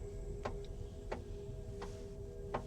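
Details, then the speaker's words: Kia EV5 GT-Line electric car driving slowly through a parking lot: a sharp light knock about every 0.7 seconds that follows wheel speed over a quiet hum, caused by an object stuck in the tyre tread. "Knock! Knock! Knock! It sounds like someone's tapping the car on the roof, from the side, or from above . It keeps making strange noises."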